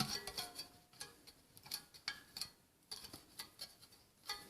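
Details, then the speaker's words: Straight-pull wheel with flattened aero spokes: quiet irregular sharp ticks and creaks as the wheel turns, from crossed spokes rubbing and rotating where they touch, worse climbing or braking hard. "but that um they produce some some creaking creaking annoying noises when you're you can hear on some"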